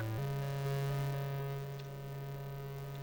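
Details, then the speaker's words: Spectrum +3 with stock audio, before the 220 ohm resistor mod, playing Monty game music. A loud steady low hum, with noise changing as the screen changes, sits under distorted, clipping music; audio distortion and hum from video interference. "So if we take I don't know, we'll read the same Monty, the music in this will end up being quite distorted."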